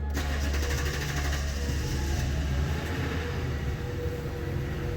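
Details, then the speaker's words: Toyota/Lexus 4.6L 1UR V8 starting after a high-pressure fuel pump oil leak repair and fuel priming; it catches at once and settles into a smooth, steady low idle with no misses, with a check engine light expected from the unplugged pumps, so a normal start and idle. "starts right up got a check engine light as I expected but uh we'll clear those codes"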